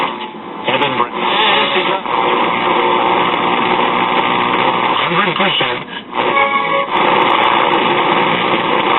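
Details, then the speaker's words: RCA Institutes AM tube radio: a steady thin squeal sits over the station audio as it tunes between stations, picking up with just a wire antenna; oscillation, cause not yet traced. "but we still have this [Music] oscillation"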